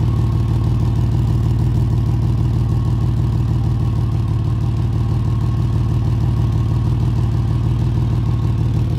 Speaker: The sound specifically to be on the lookout for it's typically a deeper rumbling tone from the exhaust.